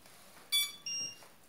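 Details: Xiaomi Mi Drone 4K after motor maintenance: short, clean high-pitched beeps at switch-on, one brief chirp then a longer tone, no buzzing or stutter; it powers up normally.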